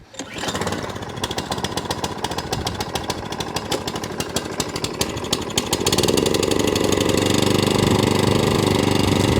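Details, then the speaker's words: Atco Balmoral 20SK 20-inch mower with a Kawasaki engine, started completely cold on choke after its throttle was repaired. It catches almost at once on one pull and settles into a steady, even putter with no knocks; a normal cold start and idle. "There you go, and that's what I expect from a Kawasaki."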